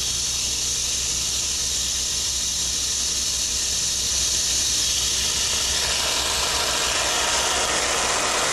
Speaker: we're currently holding approximately a 35 psi drop across the valve and find no evidence of cavitation